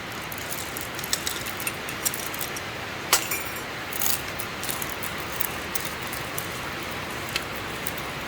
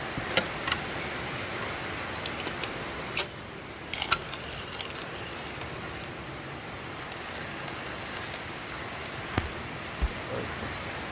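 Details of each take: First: Grinding sound of month-old coffee beans stored in a poorly closed container, compared with fresh medium-roast beans: soft, even hiss with scattered faint ticks and no crunch; stale, moist beans grind dully. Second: Grinding fresh, dry medium-roast coffee beans: dense, steady crackling crunch with sharp snaps, unlike month-old coffee, which grinds without the crunch.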